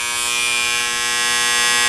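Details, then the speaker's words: Fairly new battery charger with cover off: loud harsh raspy buzz from the transformer because its core plates have loosened; clamping them quiets it. "the Transformer is buzzing very loudly because these plates"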